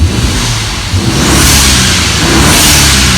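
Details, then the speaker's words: BMW E36 with an N54 engine, warm, on free revs before a fail-safe sets in: strong revs with a steady rising turbo hiss and spool, hitting 10 psi and pulling cleanly each time. Normal turbo boost on free revs. "It feels really strong now. It feels really good. You can see that it's hitting that 10 psi."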